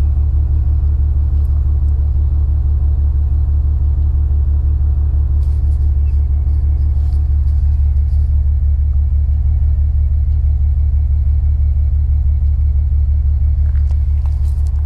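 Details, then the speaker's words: BMW E92 335i N54 with 17T hybrid turbos, no codes, driven that morning: logged idle at the exhaust with a deep, lopsided pulse about three times a second and fuel-smelling mist from pipes; a cylinder not firing properly, owner suspects low compression. "now i've just logged the idling to see she still sounds wrong come have a listen"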